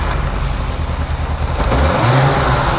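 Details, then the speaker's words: 1998 Yamaha YZF600R Thundercat after transmission repair, revving on a stand with rear wheel off the ground: steady exhaust beat through each gear change, no grinding or clunking; gearbox shifts cleanly, carburetion still needs setup. "got all the gears that's good i'm gonna have to mess around the carburation a little bit to get it set up right but she sounds good"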